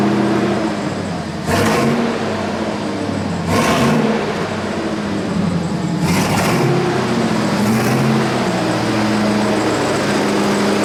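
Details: 1999 Chevrolet Silverado Z71, 5.3L V8, just fitted with long-tube headers: deep, loud, lumpy rumble idling steadily with a few louder bursts; engine sounds healthy, though a possible exhaust leak is noticed; normal idle.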